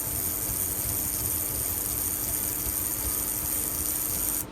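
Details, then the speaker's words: Hornby model locomotive with freshly serviced X04 motor and chassis, running in after first power-up: steady high-pitched whir with a light even rasp, no catches, quieter than it was when first started. "When I first powered this up, it was quite noisy, but as you can hear, the more it's running in, the sweeter it's starting to sound."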